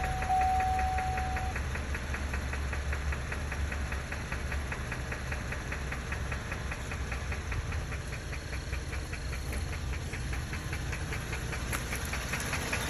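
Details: 2012 Chevrolet Camaro RS 3.6L at idle: a quick, regular tapping knock, about two or three a second, clear above the engine hum; internal engine knock, source undetermined.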